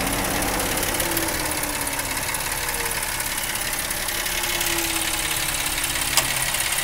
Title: 2010 Jeep Wrangler engine noise